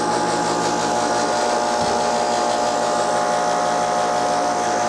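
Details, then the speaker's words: AC outdoor condenser unit energised: steady electrical hum but compressor fan not spinning, like a stalled motor; run capacitor suspected, not confirmed. "So here you can see, you can hear it all humming and everything like its wanting to do something. But it just doesn't want to go."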